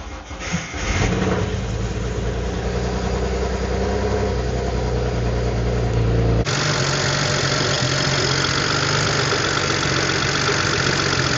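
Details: 2007 BMW with N54 engine at first start after fitting new index 12 injectors and coding them, after sitting; busy, slightly uneven idle with fast light ticking, owner suspects lifter tick until oil pressure builds and a slight misfire.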